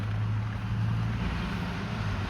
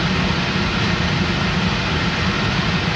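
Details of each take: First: Range Rover L322 with a newly fitted £40 replacement blower motor: steady low whooshing roar with a faint hum underneath at a higher fan setting; the new fan wobbles badly on its shaft. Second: Range Rover L322 after blower motor replacement, fan run up to maximum speed: even steady rushing whoosh with no squeal or scrape, then smooth wind-down; balance not great but no screeching like the old motor; normal blower fan running.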